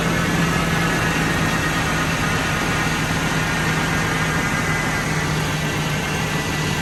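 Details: Totaled 2006 Ford F-350 V10, about 5,800 original miles, just after first start following rebuild: even steady idle sitting a bit fast, no knocks or misses, oil pressure and coolant temperature fine, quiet; normal idle.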